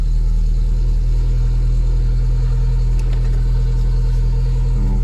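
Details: Mk2 Golf 1.6 petrol, automatic, Weber carburettor, after choke cable adjustment, cold start on full choke: steady, smooth, fast idle with no misses or knocks; normal cold idle on full choke.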